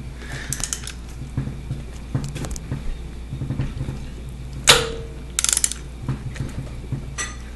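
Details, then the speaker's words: Audi A4 1.8T AEB engine, cylinder head off the car being turned by hand: slow ratcheting clicks with a sharp clack partway through as the cam chain tensioner rises and slams down; timing marks still line up after one revolution. "you'll see the tensioner go up and then it'll slam [Music] down up and then down"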